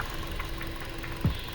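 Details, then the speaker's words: 2019 Hyundai Veloster base 2.0 (G4NH), odometer about 85,543, warm at operating temperature, before an oil change (Amsoil 5W-20 in for 7,486 miles): steady, even idle hum with faint light ticking, no stumble or knock. Normal idle. "But I just want you guys to hear how the engine sounds and how it starts up, just idling. So we're already up to operating temperature, so we're gonna go and walk out here and take a listen."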